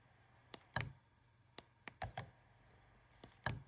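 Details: Fujifilm X-H1 camera body in a quiet room: irregular sharp clicks and soft clunks from the in-body image stabilizer at power-on and when pressing playback. The owner suspects it is louder than on other models; cause unconfirmed.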